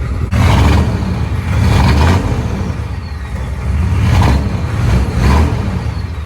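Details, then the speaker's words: Chevy 6.5 turbo diesel truck, hard starting, revved in swells with a rough clanking chatter over the low rumble, from a failing crank pulley (harmonic balancer still fine); power steering pump also shot. "So I'm sure most of y'all heard that terrible kind of clanking sound, just kind of like a chatter or rattling when the motor was running. And I'm glad I found this."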